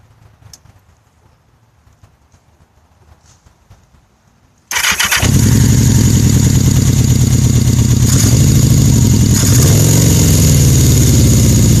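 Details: 1981 Yamaha XS1100SH four-cylinder motorcycle fires up and idles unevenly with a wavering beat and low power: erratic idle caused by loose throttle shaft rivet on #4 carburetor; coils and wires new.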